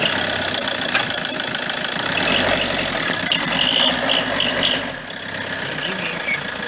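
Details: Opel Corsa 1.3 diesel idling: thin, steady high turbo-like whistle, from an exhaust manifold gasket leak.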